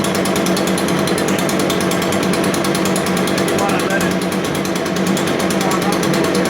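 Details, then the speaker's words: New Echo PB580T professional leaf blower on its first start: cold-started on choke, then switched to run and restarted. It warms up with a fast, even two-stroke buzz and a rapid steady pulse, with no surging or stumbling. Normal warm-up running. "That's the first time it started that motor."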